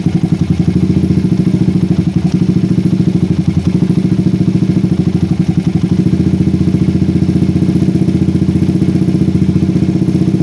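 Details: PE24 carburetor with the stock needle jet, J6ZB needle, size 35 pilot jet and the air screw almost fully out. A low thumping idle wavers and sags back slowly; it runs too rich at low revs, blamed on an oversized, too-short needle jet.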